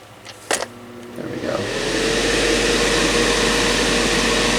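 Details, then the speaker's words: Black&Decker BDCH200 1500 W heater, fan-only setting, switch propped down to engage: click then steady whooshing hum; fan spins freely, not locked, but pushes little air; weak airflow. "the fan's not locked, it is running. And it's pushing some air through there, but not very much."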